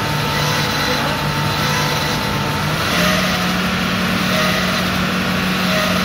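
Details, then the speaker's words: Freshly rebuilt Land Rover Discovery 2 Rover V8 4.0L, first start: steady run with a droning tone stepping up in pitch; horrendous noise from the power steering pump, cleaned and resealed with new gasket, air in it after refilling empty. "there was a horrendous sign you i'm sure you heard it and you could see me looking down in that direction that was the power steering pump i had it apart i cleaned it i put it back together with a new gasket and it was empty of fluid"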